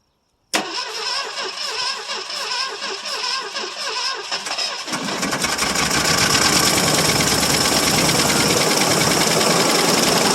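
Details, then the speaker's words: 1968 Mercury Monterey 390 FE two-barrel, sitting about 20 years, cold start with fuel added to the carb bowl. Catches after about five seconds of cranking, then runs ragged with loud clatter; cause unconfirmed: rough running. "well as you can see it does run a little bit"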